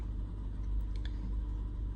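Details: Lexus RX350 (2016–2018 system) idling as it warms, airflow sensor reading down from 7 to 6, about 3–4 expected when warm; low, even rumble with no misses, knocks or whines. Normal idle.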